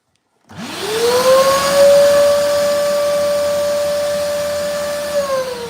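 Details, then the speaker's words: Vacuum cleaner vacuuming up water: motor spins up to a steady high whine, then sags slightly, sounding choked with weak suction. Owner then found it was blocked. "Okay, so I think I have broken my vacuum cleaner because it doesn't really want to work."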